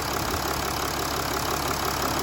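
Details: 2011 Mercedes ML300 OM642 diesel just after fuel filter change and refitting fuel inlet/return lines: started first time, smooth settled idle clatter with no knocks, misses or hunting; healthy, no leaks.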